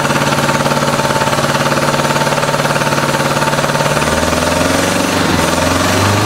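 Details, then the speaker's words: 1986 Honda Goldwing GL1200 SE-I fuel-injected, first start after electric fuel pump fitted: lumpy, uneven chuffing about three beats a second; pipe test shows two cold pipes, firing on two of four cylinders; stuck injector suspected. "it sounds like it's not hitting on all those cylinders when it's running maybe it's a stuck injector"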